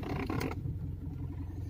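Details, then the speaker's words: 10-year-old Mitsubishi Pajero with the engine idling: a short rubbery squeak-creak as the steering wheel turns, noticed turning left, then just the quiet idle; possibly dry rubber inside the steering column. "There is a noise when I turn my steering wheel. This is a Mitsubishi Pajero. You will hear the sound. It's like a rubbery, squeaky sound when I turn the steering wheel."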